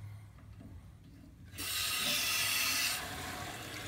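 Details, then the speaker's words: Toilet tank refilling after the water supply is turned back on while diagnosing a running toilet: quiet, then water bursts in with a loud hiss easing to a steady flow as the float rises to shut off at its set level. Normal refill. "keep an eye on this floater as the water is filling up notice how it's starting to rise once it hits the level you set for it it'll kill the water right there"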